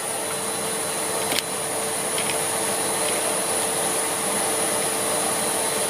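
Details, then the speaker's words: Siemens Z6.0 Power 2500W bagged cylinder vacuum cleaner pushed over carpet: smooth, even rushing airflow with steady high whistle, no rattle or surging, very quiet; normal running. "so let's kind of push around with it on carpet and Charlie it's very quiet I'll say that much for it"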